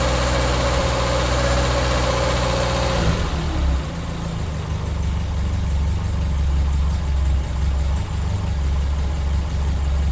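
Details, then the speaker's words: 1983 Toyota Tercel wagon (3A engine) after head gasket replacement and adding a missing exhaust gasket: steady, even low idle with no misses, knocks or hunting; running smoothly. "running good temps staying good car actually seems to be running a little better"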